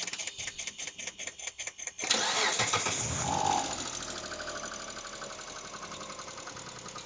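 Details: Mitsubishi Pajero 4 3.8 at start-up: after cranking it fires and idles with a fast, light, even ticking over the engine; hydraulic lifters clattering.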